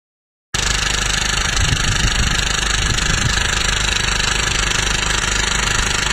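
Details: Mitsubishi Outlander 2.2 DiD 4N14 diesel at idle. A harsh, uneven metallic rattle rides over the diesel clatter, caused by a worn coupling on the balance shaft module. Likely fix is replacing the coupling cube.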